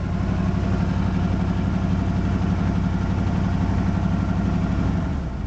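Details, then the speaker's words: 1980 Jeep Cherokee Laredo, 401 V8 after major tune-up (new distributor, cap, rotor, plugs, wires, thermostat, coolant flush, oil change): steady even low rumble at idle with no knocks or misses; holds good oil pressure, slow to warm up. "holds a pretty good oil pressure takes a minute to get up to operating butt it seems pretty happy these days"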